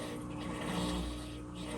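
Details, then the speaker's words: GE washer with faulty lid switch bypassed so the lid locks: low, steady hum with a faint gurgle holding even as the drain pump runs and pumps out water normally. "It's going to start to drain. now, the lid is locked."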